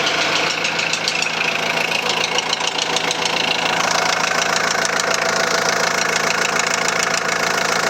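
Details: 2001 VW Transporter T4 1.9 TD diesel idling with a sharp, steady metallic knock about three times a second over the clatter. The head was first suspected; teardown found big-end bearing surfaces almost gone on clean crank journals: rod knock.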